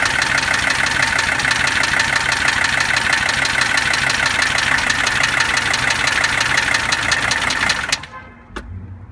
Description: 1982 W123 300D turbo diesel has loud knocking and ticking sound.